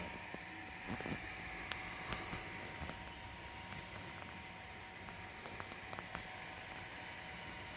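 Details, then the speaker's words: Nearly failing PC power supply under benchmark load around 300–330 watts: strange noise, steady fan hiss with faint high whine and scattered sharp ticks and crackles, abnormal power supply noise under load. "I can hear the PS already making some strange noise"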